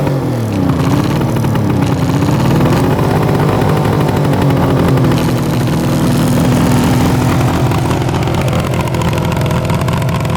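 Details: 1974 Suzuki GT750 two-stroke 750cc triple, first run after 30+ years in a barn, burning Klotz oil; blipped revs rise and settle crisp and buzzy, seemingly firing on all three cylinders, no misfire or rattle; normal revving.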